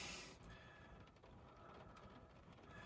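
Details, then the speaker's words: 2015 Renault Zoe salvage EV, sat dead a long time, plugged into a borrowed Kia charger: faint ratcheting clicks and soft mechanical whirring as the charge-port locking mechanism engages; car then starts accepting charge normally from 0%. "it's really making some funny noises sounds like there's a locking mechanism inside the thing"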